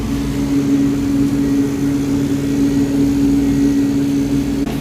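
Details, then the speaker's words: Newly installed replacement ice machine head (replacing Manitowoc) running normally after dropping another batch of ice: steady, even hum with one constant low tone, no knocks or rattles. "it did drop another batch of ice, so that's good."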